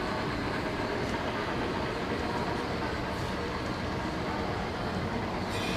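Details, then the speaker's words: Old American-made Monarch shop lathe after unloading, test run at slow speed: even continuous mechanical rush with no knocks or grinding, then a clean stop; normal running. "Everything's looking pretty good, sounds good. Flowing pretty smooth. I think that's a happy machine."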